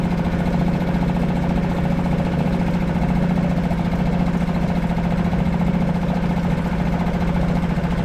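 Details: Suzuki 2.5 HP DF four-stroke outboard in a water bucket after a no-start traced to the oil level sensor, oil barely in sight glass: steady, even putter with constant buzzing tone; smooth normal idle, exhaust water dirty from excess oil and fuel in cylinder.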